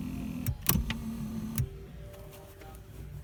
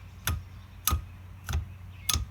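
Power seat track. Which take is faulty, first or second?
second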